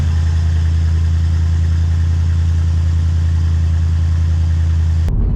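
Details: 1988 Cadillac Brougham after fitting new Walker bolt-in one-piece exhaust and muffler replacing rotted original; deep steady low rumble at smooth even idle, no ticking, rattles or blowing leaks, healthy until engine shuts off.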